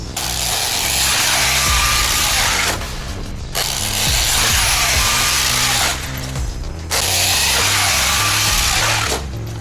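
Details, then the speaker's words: Traxxas X-Maxx RC truck, basher-spec, jumping a ramp at 25% power: harsh high-pitched grinding and ratcheting in bursts under power. "Pretty sure that drive shaft is done. Or differential gears, whichever it is."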